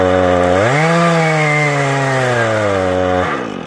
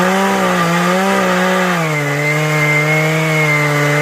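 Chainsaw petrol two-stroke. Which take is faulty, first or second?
first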